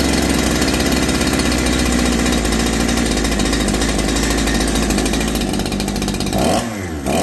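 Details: Holzfforma G372 chainsaw (Farmertec clone), first start after crankshaft seal replacement for a factory air leak that kept it from tuning, chain off, choke off: steady even buzz, drops cleanly when throttled back, responds properly, unlike the erratic running before.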